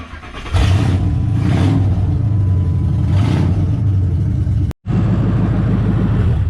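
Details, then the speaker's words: Completely dead battery, engine cranked with jumper cables and a booster: repeated slow cranking bursts, then it catches and settles into a steady low rumble; alternator also suspected, battery to be replaced. "It's gonna give you, I got jumper cables on it now, but this is gonna give us a little extra boost. Okay. So hopefully it'll start. We'll see. The battery's completely toasted, guys."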